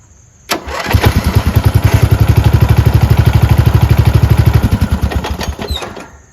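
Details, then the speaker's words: Rare four-wheel-steering riding mower tractor with single-cylinder engine, after carburetor and fuel line replacement and ground fix: starts at once, settles into an even, steady beat with no misses, shuts off cleanly; now starts reliably, normal start and idle. "again seems to start up pretty reliably now it's fantastic"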